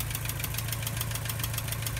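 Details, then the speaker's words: Porsche 944 Turbo at idle after seal and oil pan work: loud, sharp, rapid even clacking over a low idle, from cylinder 3's spark plug boot not seated and arcing; fixed by reseating it; ignition misfire. "You can still hear that loud clacking, and I believe that's actually just bad spark plug wire."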